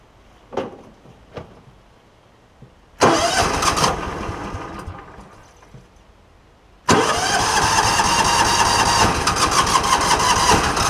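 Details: John Deere Gator, hard starting misdiagnosed as carburetor; short failed cranks then longer crank before firing and idling, weak spark from failing ignition coil, replaced.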